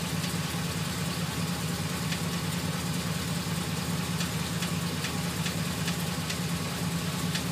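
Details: GMC Sierra 2500HD 6.0 V8 idling: steady low hum with a light, irregular tick about twice a second; starts a few minutes after startup, worse after driving then stopping, absent while driving.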